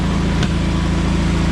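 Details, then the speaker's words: John Deere 317 lawn tractor after reassembly, on a test drive: a smooth, even low rumble with no misses, though it had two intermittent shut-off backfires. High-end rpm seems only about 3000 instead of 3450. Runs nicely overall. "you know it runs really nice sounds like an own end so yeah i'm really happy with it"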